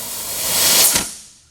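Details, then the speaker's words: 2003 Honda Element under leak-down test, another shop having diagnosed a burned valve: strong hiss of air swells then fades at the plugged tailpipe as pressure blows past a burnt exhaust valve. "huge buildup of there in the tailpipe look at it's completely blowing through here and this is our result"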